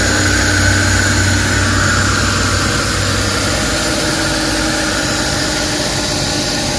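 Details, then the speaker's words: Suzuki DA64/DA63/DA17 engine idling with the AC on after a burnt wire was replaced: smooth, steady idle with an even low pulse, RPM rises properly under AC load and the previous strong vibration is gone; normal idle. "So ayan na guys ah kumalma na. So nag-engine stand tayo. Okay na yung RPM tapos naka-aircon."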